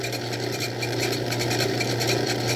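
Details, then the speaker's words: Old Craftsman 109 lathe taking a boring cut: a quick, fairly even rattle of ticks over the motor's steady hum during the cut; operator suspects chatter, cause not confirmed. "sounds like a cha-cha that might be chatter i've heard about that stuff"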